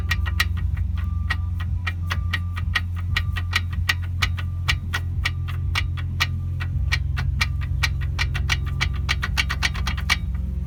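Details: Seat Leon brakes giving sharp repeated clicks, about three to four a second, over a steady low road rumble while driving. Cause unknown, although the brake parts are all new.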